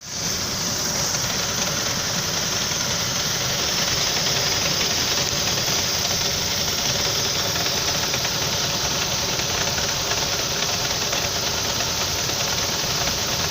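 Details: Saab 9-5 engine at idle after revving through a puddle tore off the belt; irregular deep knock at a few beats per second, cause not confirmed.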